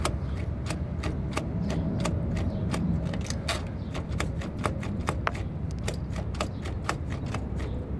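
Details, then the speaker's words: 2004 Mercedes ML500 driveshaft carrier (center support) bearing: sharp metallic clicks, about three a second, over a low rumble from a wiped-out, badly worn bearing. "this is a carrier burying center support bearing on a ML 2004 ml 500 Mercedes and this is a very good example of a very bad bearing"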